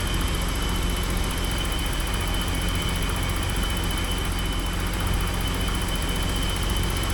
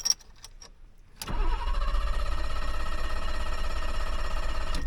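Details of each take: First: 1985 BMW 635 CSI with intermittent no-start/running problem, first start after ground wire work: smooth, even idle in neutral, steady low rumble, no misses or knocks; sounds pretty good, ground wires seem to have helped. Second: 1985 BMW 635 CSI, hot restart after a drive to church and back: silence then long crank before catching into a deep, lumpy rumble; intermittent hard start returned, owner suspects cold start valve or airflow meter, unconfirmed.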